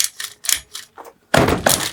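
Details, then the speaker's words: Used FTX Carnage nitro RC car; short ratchety rasps from pull starter without engine catching, starter slipping, suspected one-way bearing. "Yeah, that's the problem that we had. 90% sure that's just a one-way bearing."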